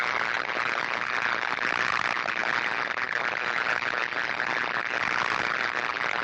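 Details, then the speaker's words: Switchgear cabinet where an insulating divider board has failed and sits close to ground, recorded with a live camera as audible sound; steady harsh sizzling crackle of arcing and tracking to ground. "and you can see where this one has lost its composure if you will and failed to the left-hand side and got close enough now that we can hear it arcing and tracking across to the grounded"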